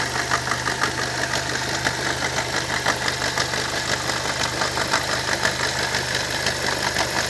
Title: Opel Vectra C Z20NET seltsame Motorgeräusche